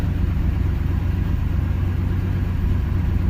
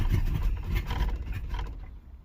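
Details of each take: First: 305 H.O. small-block Chevy warm idle after restarting following an hour's sit, accelerator pump squirt confirmed: low steady even rumble, no stumble, miss or knock; idles smoothly. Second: 305 H.O. small-block Chevy, first cold start of the day at 61°F, choke fully open, after one gas pump: rough low rumble catches briefly then dies within two seconds; stalls unless gas pedal held down.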